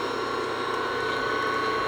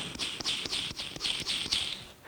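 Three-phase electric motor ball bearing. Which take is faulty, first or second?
second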